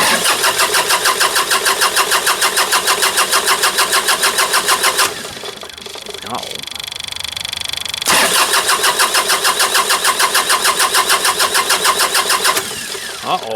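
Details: John Deere 2032R with a fuel running issue after dumping a full load; the fuel line kept streaming even when shut off. Long steady cranking at about three beats a second, a pause, more cranking, then it catches; hard restart.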